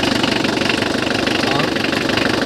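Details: Mitsubishi L300 van, 4D56 diesel, checked for hard starting (magnetic shut-off valve): even diesel clatter at a steady idle with a regular fast beat and no misses; running smoothly.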